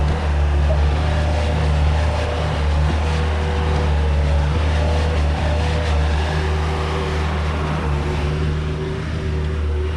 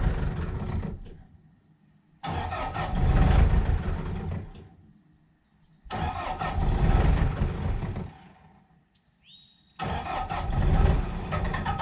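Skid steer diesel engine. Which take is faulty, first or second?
second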